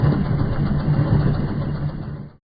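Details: Audi A4 while turning: low uneven rumble under engine drone, then fades; noise when turning, later solved but cause not stated.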